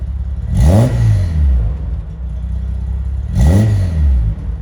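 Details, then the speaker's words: 1972 Datsun 240K (Kenmeri C110 Skyline) at operating temperature after a smoky, black-smoke cold start (choke or spark plugs suspected): even warm idle with two clean throttle blips rising and falling smoothly; runs correctly once warm. "once the car's actually warmed up and it's at operating temperature it starts to sound like this which is really nice it sounds like it's running correctly"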